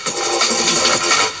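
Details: 1980s Toshiba RT-5160S boombox after cleaning and repair of crackly switches and knobs: the radio plays clear and steady while the knobs are turned, with no crackle, scratch or pop. The controls are now clean.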